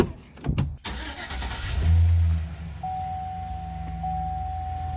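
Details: 2005 Chevy Silverado after alternator replacement and belt refit: cranks briefly, catches, settles into steady even low idle, no belt squeal or chirp; normal start, no dash lights.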